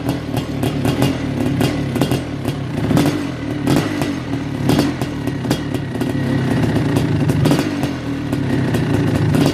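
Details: Kawasaki KX500 two-stroke on its first start after a top-end rebuild (Wossner piston, MPS Racing power valves, Cometic gaskets): crisp, uneven crackle with rev blips, no knocking or rattles. The engine runs strong and healthy.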